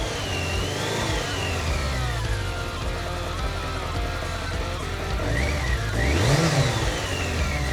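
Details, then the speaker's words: BMW K100RS sitting since 2007, just revived after tank rebuild, new fuel pump and wiring fixes, started without choke: engine holds steady beat and revs cleanly up and down without stumbling or misfires; normal running and revving. "Smells like Holy It's working. First gift. Wow, guys. I'm very happy it's working."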